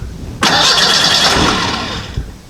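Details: Model A hot rod coupe with a 2.3 L Ford 4-cylinder and Duraspark II ignition: the starter spins steadily for under two seconds without firing, with no ignition voltage at the coil. The ignition switch tests good; the coil feed wire is suspected, and a blown fuse is cited.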